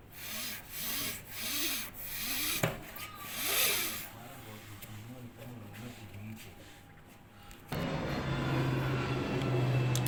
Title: When you fail to service your dryer,new motor needed, screeching sound when running.